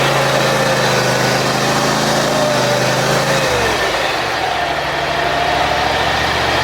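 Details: John Deere X540 mower that came in crank-no-start with no spark, idle about a year; both coils found dead, failed module swapped. Loud steady two-cylinder putter with a brief dip and recovery, running evenly with spark restored: normal running after repair.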